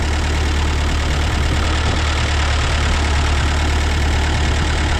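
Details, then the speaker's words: Ford 8N tractor after a carburetor rebuild idles with a heavy, wavering, rough thump and doesn't want to idle. An intake leak is suspected; it is being warmed up, with a compression test planned. "kind of wondering if we do have a leak on that intake not wanting to suck fuel right away it doesn't want to idle but I'll let it warm up a little bit"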